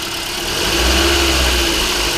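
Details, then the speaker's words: 2009 Toyota Corolla S 1.8 petrol four-cylinder after replacing the water pump, whose pulley caused loud roaring, while refilling coolant: engine runs smooth and even, no roaring or bearing rumble from the pulleys. "So all in all, not too bad. We got a lot of work done and the car runs and sounds great."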